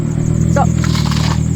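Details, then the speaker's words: Nissan S13 Silvia, first start: deep, loud, uneven idle rumble with raw unmuffled exhaust bark (needs a muffler); engine running rough, cause unconfirmed, owner suspects it may just need to warm up. "See if it runs. I'm keen to hear it start. Oh, it sounds like ass right now."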